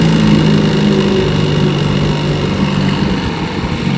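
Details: Restored 1958 5.5 hp Evinrude two-stroke outboard (replaced power head, carburetor, gear case), warm, pushing a 14-foot John boat about 7 mph: steady, even buzzing drone under load, no misses or knocks; running healthy.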